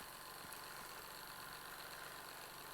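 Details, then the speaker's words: Old Jensen steam engine bought at a swap meet, not yet belted to any accessories: steady, even hiss and soft chuff with no knocks or irregular beats, running smoothly. "i'm pretty excited about this find that was awesome for 25 bucks i could not be more excited now i'm gonna have to get some accessories hook it up to that belt boy she is running now"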